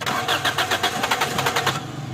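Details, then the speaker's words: 2003 Toyota Corolla XLi, no-start after clutch plates were installed, weak battery boosted from a tractor: quick cranking at about five beats a second, briefly catches on petrol poured into the intake, then dies; mechanic says the fuel pump is faulty. "بس اتنا ایک petrol تھا جتنا جو ہے نا جل گیا اپ پیٹرول بھی ڈالیں اور ہلکی جو ہے نا ریس بھی دیں اس کو"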